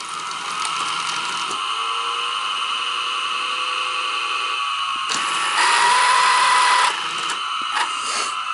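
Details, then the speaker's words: Sanyo Beta HiFi 7200 VCR playing a cassette: harsh whirring mechanical chatter with a rising squeal during play, from slipping worn drive belts and a worn idler tire. Sounds horrible, though the electronics are thought to be fixed. "oh that sounds horrible that's horrible"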